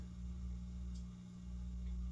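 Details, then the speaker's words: Vintage Italian Razzetti 46-inch porcelain-housing ceiling fan with internal variable speed: quiet, steady low electrical motor hum, no scraping; not normal solid-state noise, owner suspects it was wired backwards and the motor is getting DC, low power factor, otherwise performing fine. "backwards, because it doesn't sound like normal solid state noise. It sounds like the motor is getting DC, but it's otherwise performing fine."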